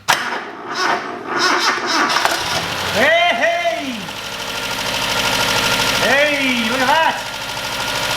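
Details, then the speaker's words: Toyota Corolla KE25 after swap to a re-manufactured 4K engine, started right after setting timing to the front pulley mark instead of the back one, no coolant in: engine catches and settles to a steady, even idle with no knock or miss; normal idle. "Well, that sounds better. That sounds better."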